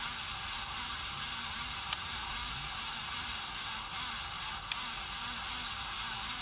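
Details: 53" Casablanca Spirit Of Saturn ceiling fan, recorded November 2018, running with a continuous gritty hiss, a low wobble pulsing about twice a second and occasional ticks; bearings had gone bad, sent in for bearing replacement.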